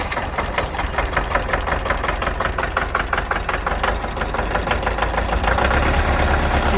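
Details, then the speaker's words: Kubota L4701 diesel tractor after repairing fuel contaminated with about half water; after long cranking it fires with uneven chuffing and stumbles, then smooths out as trapped air bleeds out; rough running from air in fuel system. "when it started to hit I kept cranking until it fired up and ran and you'll see it run a little bit rough and then smooth out with all the air at this time"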